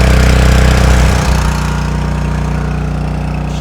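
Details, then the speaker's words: 7HP Duramax water pump engine, first pull with choke then unchoked: loud start settling into steady, even low thump about four beats a second while pumping; running normally. "pumping away. Thank goodness that part was easy."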